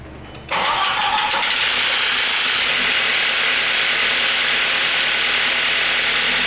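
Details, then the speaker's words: Audi A4 B5 1.8T just after an engine swap, first start at idle. A fast, sandy metallic clatter follows engine speed and is too quick to be rod knock. The owner suspects dry camshafts or top-end noise; not confirmed. "It doesn't sound like knocking, but it sounds like those cams are, I don't know, dry as hell. I kind of want to pull the valve cover and douse it in oil or something."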